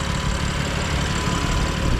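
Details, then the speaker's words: 2020 BMW F82 M4 at warm idle: a steady idle with a light, even fuel injector tick and no more rattling. Healthy. "Like I said, I'm pretty sure the sound's gone. Yeah. So, no more No more rattling. It's just that sound from the fuel injectors."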